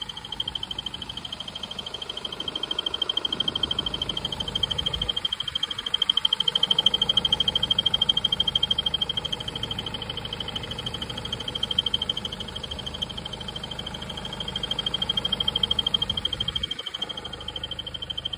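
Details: BMW 320d F30 N47D20: high, rhythmic squeak of about three chirps a second from the belt drive, louder with the air con running; belt, water pump and tensioner replacements failed, and replacing the crankshaft pulley (harmonic balancer) fixed it.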